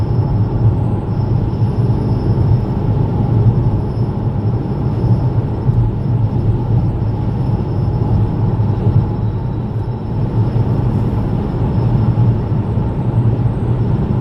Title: Vauxhall Mokka strange noise video 2